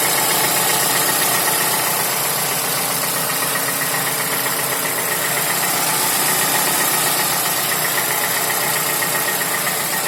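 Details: Toyota Camry 55 with 2AR-FE engine, warm idle: light, even tapping about four per second over the engine hum; dealer found nothing, rod knock ruled out, timing chain checked OK; source unclear.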